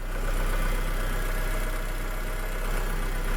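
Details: 2007 VW SpaceFox 1.6 8V flex engine idling to warm up after oil, filter, sump gasket service and starter motor overhaul (previously cranked hard when hot); steady low idle, even beat about three pulses a second, no knocking or misses.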